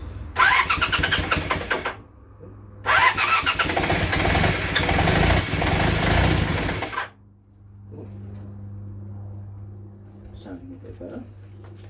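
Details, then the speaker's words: Project motorcycle, temporary engine at first startup with the rear silencer connected: catches, revs twice, then settles to an uneven, lumpy idle with puffing beat; exhaust leak noted and running felt not smooth, with vibration; rough running. "Maybe okay running but not well definitely got an exhaust leak from here here that exhaust but more than that I didn't feel smooth"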